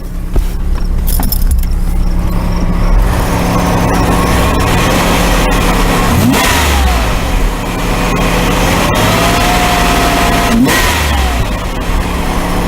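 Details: 1991 Oldsmobile Cutlass Ciera after replacing all fuel injectors with rebuilt Ford/Bosch units: warm engine blipped twice, revs climbing quickly and dropping back to steady idle; crisp, healthy throttle response.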